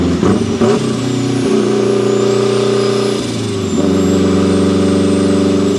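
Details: Turbo Mazda Miata, built 1.6L with a new head gasket, new clutch and flywheel, and a custom unequal-length turbo manifold giving a Subaru-like sound, about 14–15 psi boost. A deep, uneven burbling exhaust under steady throttle with shifts, and no flutter or knocking: a normal turbo engine under load.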